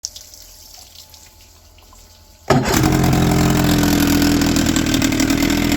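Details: 1996 Johnson 25 hp outboard, came in for no start, after timing adjustment: quiet two seconds, then fires and settles into steady even buzzing run with no misses.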